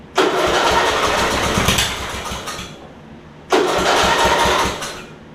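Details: Older Murray riding mower with governor issue, repaired starter cable: two cranking bursts, engine churns and catches briefly but won't settle; hard starting, carb swap planned.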